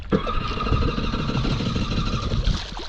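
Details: Jet ski restarted on the water, three or four miles from the dock, after it quit: it catches and runs with a ragged, uneven beat and no clean idle; engine damage suspected, not confirmed.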